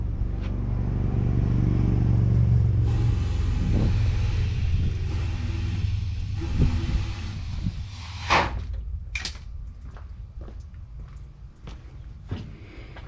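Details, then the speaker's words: 1985 GMC C25 with 454 (7.4L) V8: rumbles and revs, then sags and sputters out over several seconds as the carb runs dry; the fuel pump makes about 1 psi and only drizzles gas, so it is suspected to have failed. "This thing just isn't working, guys. I think that pump is done. I disconnected it from the bottom and uh it's only pushing a drizzle of gas out."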